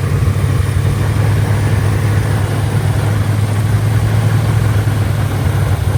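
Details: Mustang 5.0 V8 with an owner-built carburetor, air cleaner off and a vacuum gauge below the base plate, during throttle tests: loud, deep, steady rumble with no clear misses or surges. This alone doesn't pin down the fault.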